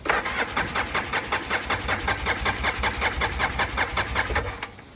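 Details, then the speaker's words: Polaris 700 quad on a possibly too-dead battery, mouse nest found, fuel switch off: starter cranks in quick, even pulses about two or three a second but never fires; crank no start, owner suspects the fuel pump. "Maybe it needs a little help. Oh, there's some mouse nest in there. Okay. So my next best guess is the fuel pump's no."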